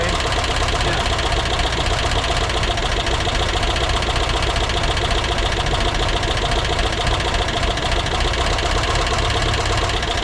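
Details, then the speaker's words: VW Vanagon Westfalia air-cooled engine, surprise first start during rebuild: rough steady idle with irregular tapping about three or four a second, a little smoke; engine knocking, owner suspects oil not yet up and oil pressure regulator wrong, hookup uncertain. "sounds like it still needs some oil up on those filters, huh? So that oil pressure regulator is probably not right, huh?"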